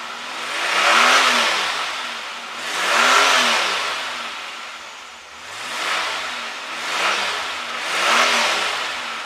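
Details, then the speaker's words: 1987 Pontiac Fiero GT, all-stock 2.8 V6 with stock exhaust, owned under 48 hours: five clean throttle blips, each rising and falling smoothly with no miss or rattle. Normal revving. "the exhaust is completely stacked but for all and all I think it sounds pretty good for a 2.8 V6 all stock"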